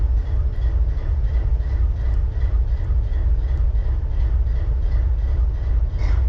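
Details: BNSF 4583 locomotive diesel idling: deep steady rumble with a slightly uneven, loping beat underneath, a cylinder misfiring at idle.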